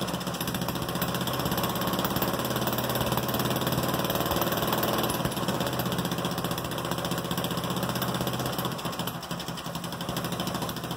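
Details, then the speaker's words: Goofy Cart 2 small single-cylinder engine, first start in about 20 months after a rebuild, in a cold ~31°F shop, open exhaust, no head gasket fitted, gravity-fed from the tank with no fuel pump: steady fast idle, open-exhaust bark, no knocks; running normally. "ya gotta love first start ya gotta love it now I got to finish my exhaust system since it's only just dumping right out right there"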